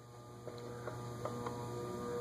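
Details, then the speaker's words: Vintage Lasko ceiling fan (believed 16-pole motor) on a variable speed control at medium speed: steady low electrical hum with thin high tones; motor buzzing, worse than on the Emerson fans. "another quarter turn will bring us to a solid medium speed definitely should be able to hear the buzzing out it's actually a lot worse in the lasos than the emersons they I believe are 16 pole Motors and don't do well on variable speed controls"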